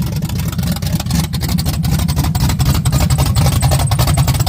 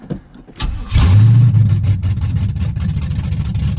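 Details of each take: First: 1987 Firebird after replacing the alternator and starter and checking wires, idle screws not yet adjusted: lumpy, uneven rough idle, firing stumbling and speed sagging as if about to stall. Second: 1987 Firebird after replacing alternator and starter and checking wires: short crank, engine catches at once and revs, then settles to a rough idle nearly dying as idle screws are not yet adjusted; starter now works.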